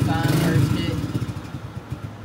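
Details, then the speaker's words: Old Kawasaki dirt bike at startup, exhaust sound: fires up then beat turns uneven and fades, stumbling and failing to hold idle; blamed on the carburetor, clogged pilot jet starving it, before carb removal and fix. "so what you just heard from the exhaust was in this pot so what's causing that is carburetor so of course i better start taking this carburetor off of here"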